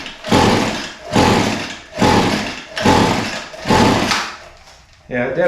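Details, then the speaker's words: Echo SRM 225 line trimmer that smells flooded, during a start-on-spray test with carburetor cleaner sprayed into the carburetor: five rough pulls about a second apart die away without catching. The cause is not yet confirmed. "I'm going to spray a little carburetor cleaner in the carburetor and we'll pull it a few more times and see if it'll start"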